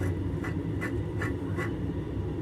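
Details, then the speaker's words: Hand-spun bearing from the opened transmission case of a Yerf Dog go-kart's Howhit motor, after draining the old oil, gives a dry, gritty, pulsing rasp; sounds horrible, a rough worn ball bearing. "sounds bad this one is frozen I could probably break it free but my bother snap bring on this by the looks of it this whole assembly should be able to be knocked out with the bearing like so yeah that sounds horrible"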